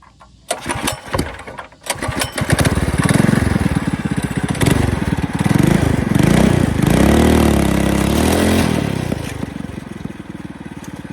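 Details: Coleman CC100X mini bike, new 212cc Hemi with governor and oil sensor removed, torque converter: catches after a couple of sputters, revs up and down cleanly, loud but healthy exhaust; needs adjusting, too torquey.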